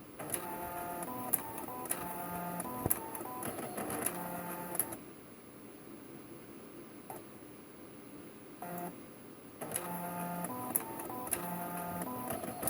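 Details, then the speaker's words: Canon BJC-80 printer after repair (scanner worked but it would not print): bursts of carriage whirring and clicking with short mid-pitched tones, then a double beep; initialization sounds normal. "Okay, we have a double beep there. It sounds like it actually is okay."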